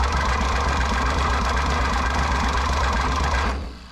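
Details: 1960 John Deere 1010 diesel tractor that has been sitting, injectors out, cranked much faster on 24 volts: fast, even cranking at about four turns a second with no firing, then the starter spins down and smokes. Low compression.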